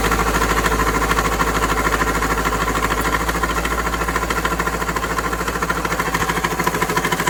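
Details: Steady idle with a fairly even light knock, about three per second, over the engine note; engine knocking, cause not yet pinned down.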